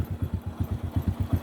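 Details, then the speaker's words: Honda small motorcycle after repair of jerking and stalling when pulling away: clutch assembly with heavily worn drum and broken gear replaced; even low thumping idle, steady and smooth without stumbling. Normal idle. "เดี๋ยวให้เกลับให้ดูทีนึงนะครับว่ามันปกติมั้ครับเนี่ยครับปกติแล้วนะครับ"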